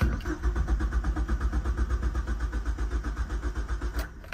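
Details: 2003 Mazda Protege5 that lost all power while driving; cranks evenly at about four pulses a second but never fires, coolant gauge at H and oil light on; crank no start caused by a blown 10 amp fuse in the cabin fuse box.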